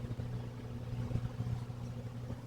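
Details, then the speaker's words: Electric clothes dryer that had started making noise, after disassembly, cleaning and reassembly with no new parts needed: steady, even low drum rumble with no scraping, ticking or grinding; runs normally as it should. "Anyway, we got uh got her back together all cleaned up. Everything's sounds like it should."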